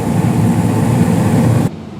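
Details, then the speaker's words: 2016 Carrier gas furnace, five years old, switch replaced around 2019 (year uncertain), blower raised medium-low to medium-high, panel on: quieter steady low burner rumble, even blower hum, no knocks or rattles, cutting off cleanly; normal running. "definitely a lot quieter with the panel on since you know it um it's a closed unit but you can definitely hear a rumble with the burners going which is nice"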